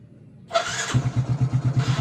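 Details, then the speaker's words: Second motorcycle, battery still normal, electric start: brief quick starter whir, engine catches within half a second and settles into an even thumping idle; healthy start. "Yang satu bisa ya. Berarti yang satu ini akinya masih normal, masih ada pengisian yang satunya aki lama ya."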